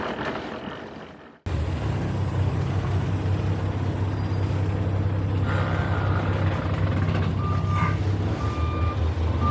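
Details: Truck reversing in Canada: deep diesel rumble, then short evenly spaced mid-pitched beeps repeating late in the clip as it backs up; the reverse alarm is working.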